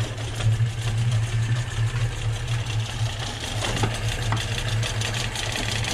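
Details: Volvo B18 with poorly tuned Weber 32/36 carburetor, running rich, before warm-up and carb setup: low, uneven, chugging idle that stumbles and barely runs; rough running, needs tuning.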